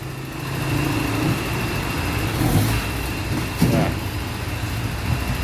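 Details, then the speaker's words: Toyota that shook and stumbled, fixed by replacing spark plugs and plug leads. Even engine note with a smooth, clean rev. No stumble, shake or misfire, so the fault is cured and the engine runs normally. "เรียบร้อยครับกับToyotazunaเครื่องสั่นสะดุดแก้ไขให้เรียบร้อยแล้วครับผม"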